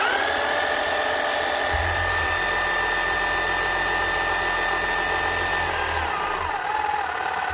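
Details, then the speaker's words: 2008 Makita HM0860C chipping hammer after teardown; new bearings quietened the motor and tightening removed internal rattle. Smooth, steady high whine holding one pitch, winding down cleanly without rattle or grinding. "so then bearings made a massive difference quietened down the motor quite a bit and just tightened everything up again so it's not as loose and rattly inside"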